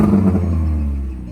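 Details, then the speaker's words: Four-cylinder five-speed manual car, 173,755 on the odometer, no check engine light, idling: raspy, puffing edge over low hum from an exhaust leak at the flex pipe. "and there's that cool with light I was telling you about and you can probably hear that exhaust leak"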